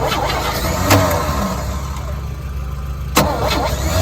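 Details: 1963 one-ton truck that sat long in a yard, fuel added to the bowl: long steady cranking with rough uneven churn and sharp clicks, never fires; cranks but won't start.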